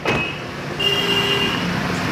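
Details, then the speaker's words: Honda City petrol after repair of DTC P1659, accelerator and heating faults traced to a rusted DD coil: steady even running with the AC on and a faint AC whistle; normal. "गाड़ी हमारी start है, AC भी चल रहा है।"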